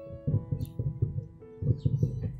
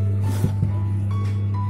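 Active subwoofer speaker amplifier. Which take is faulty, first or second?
second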